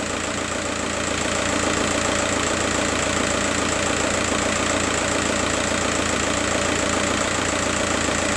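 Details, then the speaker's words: Diesel idle, roughly three stumbles a second. The pin 7 scope signal for injector #3 is sometimes missing though its shape is okay. An open circuit or broken wire in the injector wiring loom is suspected; intermittent misfire. "injector number three is misfiring and as you can see uh sometime the signal there is no signal. Look and you you may hear the sound of the engine is changing when there is no signal appearing here."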